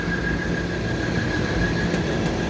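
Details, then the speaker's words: Old neglected York rooftop package unit: thin steady high squeal over the blower's low rumble; blower belt slipping though still moving good air; dirty condenser coils and filters. "Look at that belt real quick. It's slipping, but moving pretty good air."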